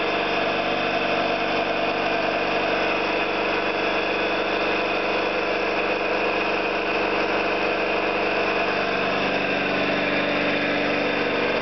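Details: Orlík 2 JSK 75-2 compressor at one of its first starts after the owner's rebuild of valves and seals, motor provisionally in star due to the house breaker; steady even pumping drone, no knocks, rattles or uneven beats; normal running.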